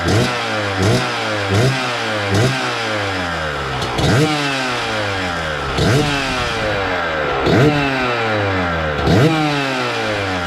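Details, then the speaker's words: 2000 Suzuki RM125 two-stroke warming up on choke: sharp throttle blips about every second, dropping back to a blubbery, uneven idle; owner suspects it is running rich and may lower the jets or fit a new silencer. "all right let's see what she does she sounds like she's running a little Rich still so I'll probably down those Jets a little bit"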